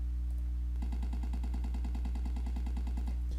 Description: If you have Bluetooth on, or wi-fi, some of the older GoPro's will add a VERY ANNOYING continuous and repeating pop sound to your video, pretty much ruining it.